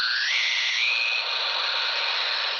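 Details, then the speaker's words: Shortwave/HF receiver picking up interference from a running Maytag dishwasher: hissy, high-pitched radio noise with a whistling tone stepping upward, a rhythmic dishwasher pattern. "afterwards we could certainly hear that rhythmic sound of a dishwasher doing dishes coming over your highfrequency"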